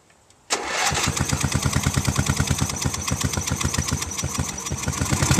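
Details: Free Sears Craftsman riding mower fitted with a spare rebuilt carburetor after the original was cut off because it was gunked inside: engine catches into a quick, uneven putter of about three pulses a second, and it only runs on full choke.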